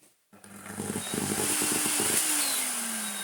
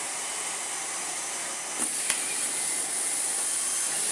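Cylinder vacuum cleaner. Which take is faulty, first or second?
first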